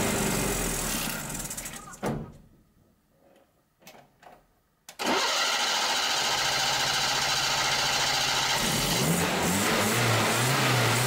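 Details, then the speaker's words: Datsun 120Y after carburetor cleaning, fresh fuel, cleaned points and a new battery; after a short gap it catches, holds a steady run and picks up cleanly when revved. Normal running and revving, but starting is still very difficult due to ignition issues. "now so this this has really helped but still we have a huge issue with the ignition system because it's extremely difficult to get going but now we actually can rev it almost perfect"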